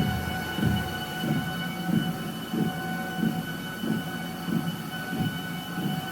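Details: Brand-new Sole S77 treadmill: dull regular thump about every two-thirds of a second over a steady motor hum; rhythmic thumping, owner suspects a rear bearing, unconfirmed.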